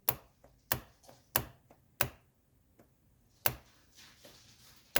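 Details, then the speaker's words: 1983 Mercedes 300CD genuine Bosch mono valve bench-tested with 12 volts after washer reassembly: crisp single clicks about every half second as valve snaps in and out; actuating properly. "now let me show you how this operates so here I just have 12 volts and I'll touch one to there now watch the mono valve see"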